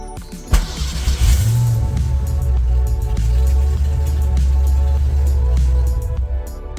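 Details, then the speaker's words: Foxbody Mustang after ignition coil fix following no-spark stall: under loud music, engine catches quickly and settles into steady even idle, no misfire; check engine light still flickering on and off. "all right well the car is good to go it runs it stays on which is all I needed to do to get home"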